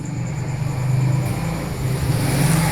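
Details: 2009 150cc motorcycle engine idling with a dull rhythmic knock from the lower end; engine opened twice by a mechanic without curing the knock.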